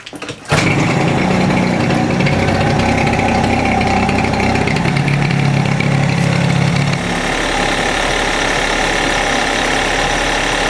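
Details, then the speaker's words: Suzuki Address 110 scooter idling with a faint irregular metallic ticking that appears about 10 seconds after start and when warm; crankshaft 11,373 km, piston kit 6,392 km; owner suspects piston or wrist pin. "когда только завел этого звука не было потом через 10 секунд этот 12 там слышно можно что такой неприятный звук пас посторонние такого не должно быть у двигателя"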